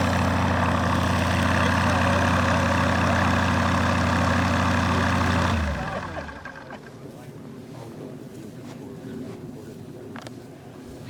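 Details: Rotec R2800 radial engine on an Aerolab LoCamp prototype airplane, first start after long-term storage and reassembly, fuel pump on: deep, even beat at steady speed with no stumbles or skips, then winds down cleanly; healthy, normal running.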